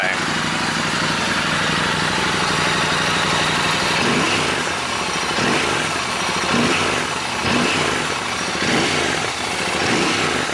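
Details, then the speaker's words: Royal Enfield Interceptor 650 twin after fitting a DNA oiled-cotton air filter: steady idle with noticeably stronger pulsing intake suction; runs evenly, just breathing louder through the freer filter. "ไม่รู้ได้ยินเสียงไหมนะครับเสียงดูดอากาศแรงกว่าเดิมพอสมควรนะของพวกนี้มันจะรู้สึกไม่ได้รู้สึกได้โดยทันทีครับ"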